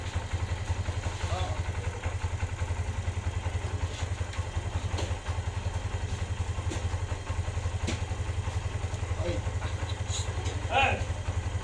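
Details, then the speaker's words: Kawasaki Barako 175 single after spark plug check for hard starting: steady, even low thumping at idle with no misfires and only a faint tick on top. It now starts with one kick; fixed. "Ayan guys, okay na siya. Madali na siyang paandarin. Isang padjak mo lang, andar ka agad."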